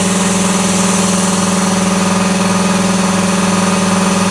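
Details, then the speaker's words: 80-gallon Cobalt air compressor inside a vented enclosure, doors and side insulated with one layer, roof bare. Loud steady drone with an even, quick pumping pulse, no knocks or rattles. Running normally; little noise reduction. "maybe not much difference about the same distance away as before about the same so is it worth it i don't know i mean it's going to be loud regardless"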